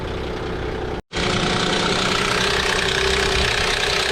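Idling V6 with a loud, clattery metallic rattle riding over the engine, about three per second; worn timing chains, guides and tensioners.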